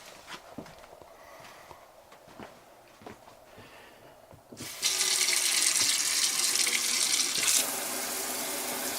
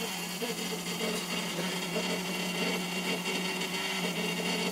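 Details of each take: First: RV water heater after replacing the faulty 1/2-inch brass check valve in its output piping: smooth steady hot tap water hiss with no squeal; old valve had a split o-ring and vibrating spring. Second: RV water heater outlet plumbing: steady, buzzy squeal through the pipes only when hot water runs (cold is fine), with vibration felt at the valve. Cause is a failed brass 1/2" check valve: its rubber o-ring split and the spring vibrated against the brass casing.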